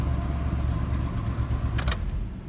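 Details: GMC pickup with faulty key ignition switch that only starts when tapped: steady low engine rumble with even beat, no knocks or misses; healthy idle after starting.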